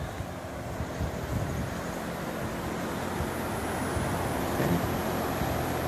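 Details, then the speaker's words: Coleman/York/Luxaire 5-stage inverter heat pump outdoor unit, stand-mounted, with Daikin 19 Series ductless: steady even fan rush, faint high inverter whine, no compressor noise; quiet, healthy running. "I don't know if you can hear it but inverters have a little bit of a a wind to him a little bit some people can't even hear that noise some people can this unit's nice and quiet I don't hear any compressor noise at all which I love just fan noise"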